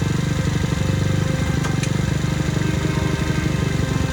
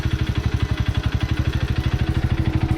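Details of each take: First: Childhood two-stroke moped after repeated failed clutch adjustments: rapid buzz whose idle wanders, then revs climb harder as the handlebars turn; throttle cable binding when steering. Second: Childhood two-stroke moped after a new throttle cable: even, steady putter at about ten beats a second with no surging or hunting; normal idle.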